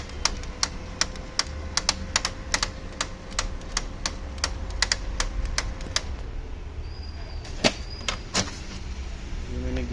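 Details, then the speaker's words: Brother DCP-L2541DW printer with duplex tray fitted: sharp regular clicks, two or three a second, over feed motor hum, gone when tray removed; worn duplex tray gears, fix by replacing the two gears or tray. "यानी कि हमारी duplex tray में जो गियर लगे हैं वो ख़राब हो गए हैं इसके।"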